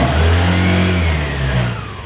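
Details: Honda Vario 150 FI LED scooter after routine service and oil-change indicator reset: clean throttle blip rising smoothly and dropping back to idle without popping or rattle; healthy idle and rev.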